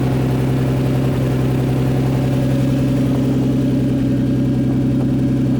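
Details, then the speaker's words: RB20DET engine with an R34 RB25 Neo turbo swapped on, first start, downpipe only with no exhaust; steady, even idle with a raspy edge from the open downpipe, engine itself quiet and clean. "but as you guys can tell it doesn't sound so bad right now there's no exhaust on the car but again that's another one of those things right now all i have is the down pipe so it almost sounds like an exhaust leak but the engine is super duper quiet"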